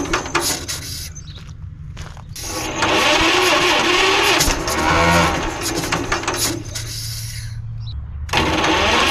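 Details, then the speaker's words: 1946 John Deere BN auction tractor jump-started with 12 V battery: cranking with brief sputtering catches that die, seems to choke itself off with lots of gasoline out the compression valve; carburetor problem suspected, not confirmed. "Well, it sounds like it's trying to run, but it almost sounds like it's choking itself off, and we're getting a lot of gasoline out the compression valve."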